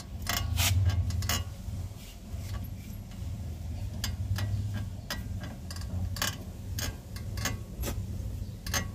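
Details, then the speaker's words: VW Fox running with power steering on; irregular clicks and creaks as steering turns, first thought a link or metal part, traced to a worn tie rod end. "Tem um barulho como se fosse ferro. Ou bieleta, beleza?"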